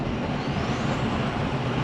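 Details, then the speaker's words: 2004 Ford 6.0L Powerstroke, 120,000 miles, after replacing the faulty exhaust back-pressure sensor: steady diesel pull under the same roll into throttle, even drone with no surging, hesitation or flat spots; power back, normal acceleration. "So yep, she's got the power back. That was the same roll into the throttle that I did with the bad EBP sensor."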